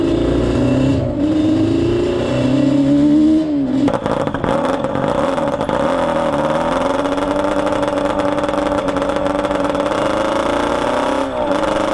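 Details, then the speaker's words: Yamaha Banshee 350 two-stroke twin on a test ride after carb sync and rejet; pitch rises then flattens, not climbing further at the top, rich and flat; lacks top-end power, main jets believed too rich at 178. "She won't get up on the top end. I think the mains are too fat on it."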